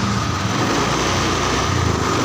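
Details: Honda Beat fuel-injected scooter that died suddenly from a blown fuse, now started after fuse repair: steady even buzz settling into a smooth idle with no misses or rattles; running normally.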